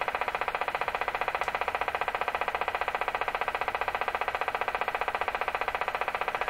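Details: DeForest Crosley shortwave radio after IF alignment to 456 kHz; sharp, regular ticks about 2.5 per second over a thin hiss, with a rate that changes with tuning. Suspected bad connection in the preamp tube.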